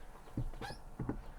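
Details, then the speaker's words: Fiat Panda clutch pedal pressed and released: short squeaky creaks with each stroke, sounding as if inside the cabin but coming from the plastic clutch slave cylinder under the bonnet; slave cylinder creak, to be replaced. "Hear that creak? Now it sounds like it's coming from inside the car when you're in the car, but it isn't. It's coming from under the bonnet, and it is the slave cylinder, which is all made out of plastic nonsense, of course."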